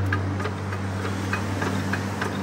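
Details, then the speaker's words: RD 85 S-series diesel tractor engine, crank bearings previously replaced after running out of oil: sharp metallic knock every beat, about 200 a minute; bearing shells suspected worn or flattened, crankshaft to be checked. "Hai baik Ini kemungkinan adalah metalnya itu sudah ngeluntung atau gepeng Ya kemungkinan ini nanti akan kita cek Frank shafnya"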